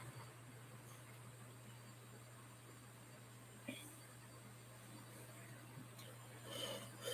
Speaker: definitely a healthy drive